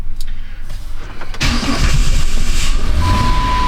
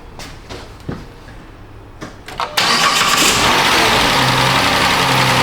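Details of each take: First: 2010 Chrysler Town & Country 4.0, cold restart: brief long crank, catches only with a little throttle, then a rough idle; hard start and running rich, likely from a skewed coolant temperature sensor making it think it's 17.6°F; strong fuel smell and many codes. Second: 2010 Chrysler Town & Country 4.0 after replacing the faulty coolant temperature sensor, started to warm up: brief crank, engine catches cleanly, smooth even idle with no stumble; normal start now with a working sensor.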